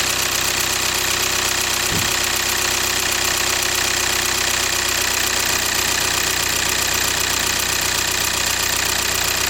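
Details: VW/Audi 2.0 TDI CKRA after replacing the failed oil filter housing for a coolant leak: even diesel tick at idle under a fair amount of hiss, steady with no stumbles or extra knocks. Normal idle after repair.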